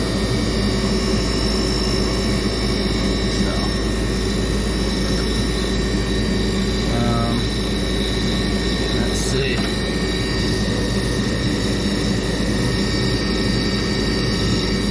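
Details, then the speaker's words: Furnace that was stuck in lock-out because its inducer motor had frozen, freed by hand: a steady, humped high whine over the low roar; the old inducer motor is wearing out and needs replacing. "you can hear it kind of has like a weird humped whining sound to it you can tell that it's getting really old"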